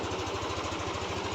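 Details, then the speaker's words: Yamaha NMAX V3 155 scooter, 9,500 km, after burnt stator (error 12) repair, covers refitted, traction control off: quick, even idle putter with no misses or knocks; idling cleanly, problem solved. "Maandar na yan. Yun. 412 problem solve."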